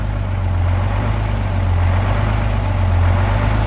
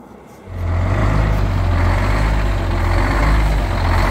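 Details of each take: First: 1971 GMC 9500 with Detroit Diesel 6-71 two-stroke, started after 26 years, warming up: idle comes down, deep steady even idle with no knocks or misses; running healthy. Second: 1971 GMC 9500 Detroit Diesel 6-71 two-stroke, restarted after 26 years, after tune-up; loud idle that surges and sags in a slow uneven lope because the wrong (long) idle return spring is fitted.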